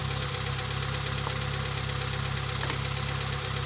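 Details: Kia Pride CD5 that would not start, running after distributor cap cleaning with new spark plugs, high-tension cables and strong battery: steady, even idle with low rumble and faint regular ticking around 200 per minute; normal healthy idle.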